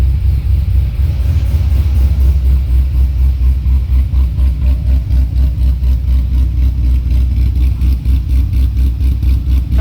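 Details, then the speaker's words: C6 Corvette Z06 with Akrapovic catback, cold start on chilly morning, flaps open: deep V8 idle with lumpy throb about four beats a second, car shaking while warming. "as you can see here i mean it's almost you get nauseous riding around in it because it's just vibrating around back and forth all the time so we'll give it another minute here so the idle can settle down"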